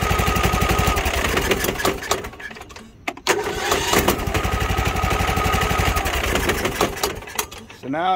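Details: Husqvarna YTH21K46 riding mower, Kohler SV610-0212 single-cylinder, which only clicked and wouldn't start due to a dead battery with a bad cell and bad connection, not the starter or solenoid; after the fix it catches right away and runs with a steady, even putter.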